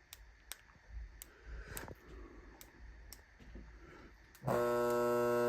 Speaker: That's the sound for it. It kind of sounds like a garage door opener AC motor buzzing when the blades are not attached.